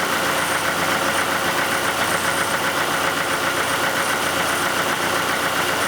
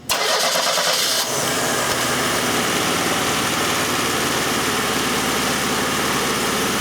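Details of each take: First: 1991 Oldsmobile Cutlass Calais 2.3L Quad 4 DOHC idling warmed up after injector repair: steady, even idle with the typical light rhythmic ticking and knocking, no stumble or miss, no longer misfiring. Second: 1991 Oldsmobile Cutlass Calais 2.3L Quad 4 DOHC at idle: catches and settles into a rough, stumbling idle with uneven beats, misfiring badly; fault traced to cylinders one and four, with a shorted injector found.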